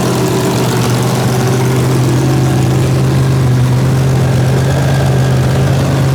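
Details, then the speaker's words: Freshly built small-block Chevy 283 V8 with solid roller cam, coolant added, untuned with two unlinked carburetors: held at a raised idle to warm up, steady even rumble with no ticks or knocks, healthy running. "i'm gonna sit here and let it let it run keep it idled up a little bit and get a little heat in it and check everything"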